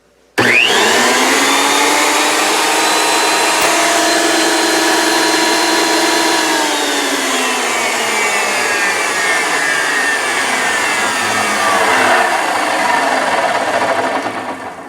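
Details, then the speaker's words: Thickness planer motor run-up with nothing inside: high steady whine falling in pitch as it coasts down, with a slight low rumble; owner suspects a bad bearing, rib belt drives the cutter head. "well I don't know whether you heard that or not the one I was riding down to meet a little bit of a rumble"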